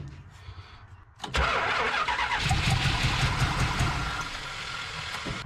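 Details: Old Mopar muscle car with an 11-year-old battery and year-old gas, spark and apparent compression present: starter spins steadily at about 158 beats a minute but never catches; crank no start, old fuel suspected.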